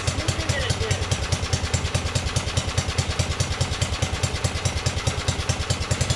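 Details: 1982 LongLife 36" lawn tractor, 40-year-old barn find, after carburettor needle work, fuel no longer running out of the carb: steady, regular single-cylinder thump at an even pace, no surging or sputter; normal running.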